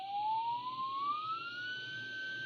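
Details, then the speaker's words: Braun T1000CD radio AM IF alignment with 455 kHz signal generator; BFO beat whistle glides from about 800 Hz to 1.5 kHz as the core is tuned, lower as it nears, rising past it. BFO beat tone sweeping during alignment. "watch this it's getting closer so the difference is getting smaller so the tone is getting lower in tone up the other side again so I'm going too far"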